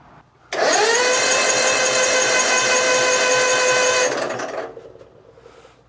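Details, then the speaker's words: 2004 Hustler zero-turn mower, plug wire swapped to the other side to check for spark: starter whines steadily for about three and a half seconds, then winds down with no firing. Still no spark; the starter sounds strained. Crank no start. "Absolutely nothing. >> [snorts] >> Starter starting to sound a little less thrilled."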